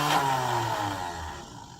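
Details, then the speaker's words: 1987 Mercury Grand Marquis LS, sitting about a decade, first start on brake cleaner instead of starting fluid, owner suspects bad fuel pump relay: catches, stumbles unevenly with sagging revs, then dies; rough sputtering start. "Well, that sounded terrible. I didn't like that."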